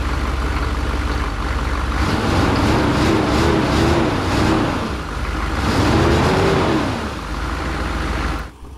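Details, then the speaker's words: Chevy revived after sitting for months, engine clattering and lumpy with revs surging and sagging through throttle blips and no clean idle. The owner suspects timing, fuel-filter and oil-filter issues. Rough running. "it runs yeah listen to it just clattering away i think so look at that another chevy running not very well it took a second to get going but uh it is running not very"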